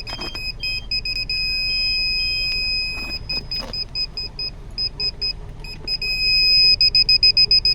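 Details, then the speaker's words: Car 12V reverse parking sensor system after replacing faulty buzzer speaker, engine running, in reverse: clear high-pitched beeps about three to four per second; buzzer sounding properly, previously silent due to failed speaker. "तो बिल्कुल clear आवाज़ आ रही है इसमें। ये देखिए reverse में है, और अब ये सेंसर है। ये देखिए सारे सेंसर काम कर रहे हैं बहुत अच्छे।"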